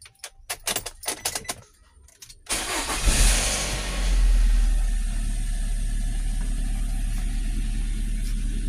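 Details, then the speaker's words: 2003 Nissan X-Trail T30 engine, limps and rpm drops when revved, check engine light flickering: starter clatter, catches with a surge, then low idle with a faintly uneven beat; misfire from a failed ignition coil. "kendalanya adalah mesinnya agak sedikit pincang kalau digas perbot rpmnya turun"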